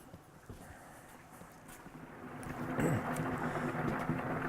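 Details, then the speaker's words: Solar water heating system, pump running when the controller sees a 10° roof-to-tank differential: soft, irregular bubbling and trickling in the pipes over a low hum, meaning normal circulation while the sun produces hot water. "I don't know if you can hear it but this gurgling sound means that the sun is out and it's producing hot water"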